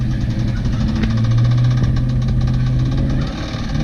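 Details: Ford Mustang V8 that sat two years, misfiring with fouled plugs on a couple of cylinders, doing burnouts under heavy revving: rough note with dull regular knock; rod knock, later blew a piston out the oil pan.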